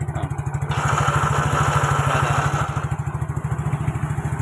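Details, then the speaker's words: Yamaha Mio GT scooter starter after rebuild and reassembly with cover marks aligned, previously rough and heavy; quick, even cranking with a steady whir and no grinding or clunking, starter turning the engine freely. "teman-teman. Motor starter sekarang berfungsi dengan baik."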